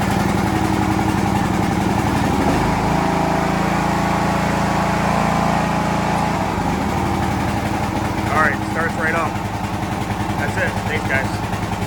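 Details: John Deere LX176 riding mower after a choke and throttle cable adjustment to fix long cranking: the small engine fires quickly and settles into a steady, even idle with a low chug; starts and runs normally.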